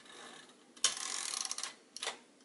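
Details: Royal KMM typewriter viewed from the back: squeezing the carriage release lever lifts the rack off the escapement, giving light ratchety clicks as the carriage slides free, then a sharp snap as the spring-loaded rack drops back onto its teeth. Normal release and engagement.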